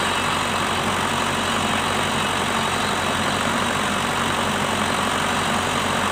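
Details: Shibaura SD4000A-D after replacing the release bearing, clutch disc and pressure plate: a steady, even diesel idle with no knocks, misses or rattles. It runs smoothly and sounds healthy.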